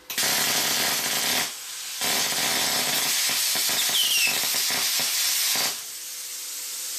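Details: Plasma cutter's harsh hissing arc breaking into choppy stuttering bursts and cutting out, sputtering from low supply voltage; a lead was also found loose, and new consumables didn't help.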